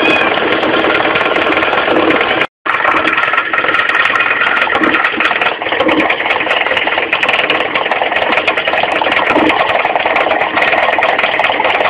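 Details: Mitsubishi 4G15 carburetted engine at idle: fast, light ticking knock in time with the engine from low at the front crankshaft pulley; loose crank pulley, fixed by tightening it, not replaced.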